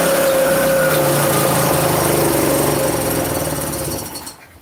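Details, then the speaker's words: Chinese 150cc scooter with a newly fitted, tampered-with motor, air filter off, run on starting fluid. It has spark and correct timing but buzzes raggedly, sags and dies; a carb clean is planned: runs only on starting fluid, won't idle. "So we know from starting it that it does run. It's on time. It has no idle."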